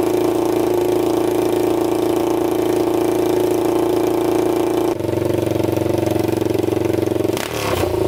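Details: 1999 Honda 400ex quad, first start after engine rebuild with a new piston, no muffler, choke on, air box fitted: loud, steady single-cylinder bark with even firing that settles cleanly near the end; running well, no smoke seen.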